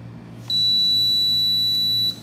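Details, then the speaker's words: Rolence XR-01 portable dental X-ray with a Canon D045 tube gives a single steady high-pitched beep for about a second and a half while the safety switch is held. This is the normal exposure tone. "so you will hear the beeping sounds during the explosion which is exactly"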